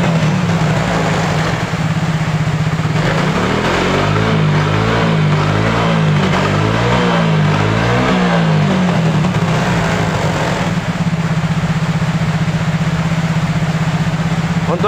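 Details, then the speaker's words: Yamaha Mio J fuel-injected scooter that kept dying suddenly, after the cracked injector socket was pressed into contact: steady idle, then smooth revs that drop back cleanly with no misfire. The fault is traced to the injector, which has a cracked socket and is clogged. "motornya sudah hidup ya berarti yang rusak di sini adalah di bagian injektor ya teman-teman"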